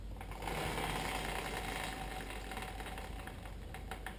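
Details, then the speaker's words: Yamaha TW200 rear wheel spun after the brake cable adjustment was backed off; light, even ticking about three times a second with no rubbing or scraping; the brake is not dragging. "That didn't drag. That didn't drag."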